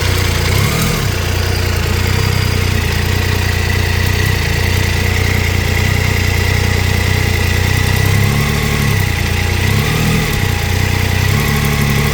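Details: Triumph Tiger 800 XRT three-cylinder at idle, after new header crush gaskets (the old ones were fitted the wrong way round) and with spark plugs checked OK. A faint, sharp tick keeps time with the engine and persists; source unknown.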